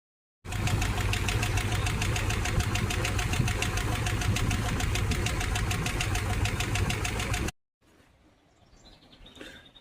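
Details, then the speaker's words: Idling engine with a sharp, even tick three to four times a second from a rocker arm not adjusted enough, showing play; owner plans to tighten it to stop the ticking. "Well, it looks like I didn't quite adjust this rocker enough. That's maybe my I don't know if you can see that. There's quite a bit of movement in that one."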